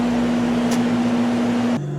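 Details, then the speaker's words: First-floor central A/C unit running after repair. A steady compressor and fan hum lowers slightly in pitch near the end but never stutters or cuts out; it sounds healthy, with no hot wires. "I turn the thing on just how healthy it sounds when I turn it on is beyond my comprehension honestly and it's running for a while and there's no hot wires nothing"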